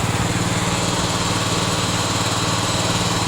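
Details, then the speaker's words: Craftsman LT1000 snow-plow tractor, half throttle, drive engaged to warm Hydro Gear hydrostatic transaxle oil: steady engine drone with lumpy pulsing hum from the drive; normal cold noise that eases as oil circulates. "Your oil's now circulating. Let her do that for a minute or two before you plow, and you'll notice the noises that it makes are a lot less scary."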